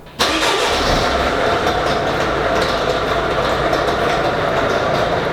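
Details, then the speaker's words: Mercedes Viano/Vito 638/639 engine running: constant rough, gritty whirr over the idle from the engine area while coolant leaks out; broken water pump bearing suspected and the pump replaced. "Casi que tenemos localizada la avería. Porque tenemos un ruido extraño. Y en la zona del motor."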